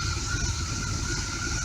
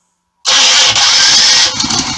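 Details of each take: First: RV with Chevy 454 V8, just fitted with new spark plugs and plug wires: slow, deep, lazy rumble idling low at only 500 rpm though vacuum is good; idle speed needs raising. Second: 1985 RV with a Chevy 454 V8, cold start with the choke already set, after new spark plugs and plug wires: fuel pump whirrs, then the engine catches quickly and settles into a steady, even low idle near 500 rpm; normal cold start.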